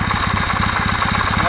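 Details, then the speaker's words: Kawasaki W650 at warm operating temperature, quiet when cold: steady dull tok-tok knock about eight times a second from the cam drive gears, likely drive/driven gear mesh needing adjustment via the cam-drive adjusting bolts; cam gear knock. "так уже слышно вот этот звук а мог слышите ток ток ток ток ток ток ток"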